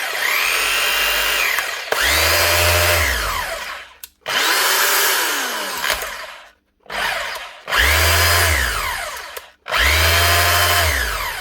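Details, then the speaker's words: Makita HR2811F SDS hammer drill (2011) after replacing burnt-out motor armature and brushes, cleaning and greasing: several bench runs spinning up quickly to a clean, even whine and winding down smoothly; healthy. "Just give her a wee test out now on the bench and make sure she's rattling like she should. Yep, she's humming like new again."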